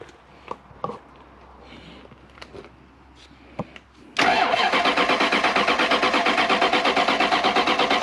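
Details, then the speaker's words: Toyota Soarer with 1UZ-FE V8, cranked with a screwdriver in place of the key: steady starter cranking with even compression pulses about three per second, never fires; fuel pump disconnected, no fuel reaching the engine. "then using our ears we're using our ears we're listening for compression uh we take the screwdriver in this case screwdriver that's the key we insert it here we go"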